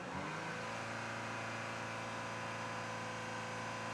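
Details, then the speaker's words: 2018 Audi Q5 2.0L with P0299 and power loss: revving gives steady mid-pitched drone with no rising turbo whistle or spool; scan tool shows boost pressure dropping from 14.4 psi atmospheric instead of rising, turbo not building boost. "Instead of the pressure increasing, it's actually dropping. That's a problem."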